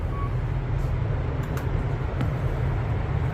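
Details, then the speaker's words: Kone KSS 500 EcoDisc elevator, likely installed 2006. A steady, even low hum through the ride with no clunks, scraping or surging; smoother than the other car. "It's definitely a lot smoother than the other one."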